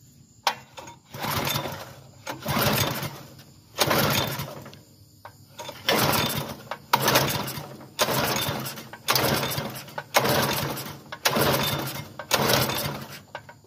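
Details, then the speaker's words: Bluebird belt-driven aerator bought not running, fresh gas in the tank: about ten pull-starts, each giving only a brief sputter before dying. It needs carburetor work; the clogged carburetor was later cleaned out. "Looking like we're gonna have to go through that carb."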